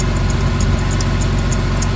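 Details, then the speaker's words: Porsche 911 (997) started after over a year in the garage, at idle: a short high chirp repeats about three times a second; the serpentine belt squeaks and goes quiet when a drop of water is applied, and owner hopes it clears once hot. "now I'm quite sure it's the belt because if I squirt a little drop of water in there there you go rather than wd4 which might make it slip it shuts up"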